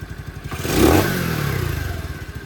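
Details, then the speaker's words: CT70 clone with Nibbi carburetor after richer pilot jet, not fully warmed up: thumping idle then crisp rev climbing cleanly with no bog, settling back smoothly. "A little bit Well, not fully warmed up, but no bog."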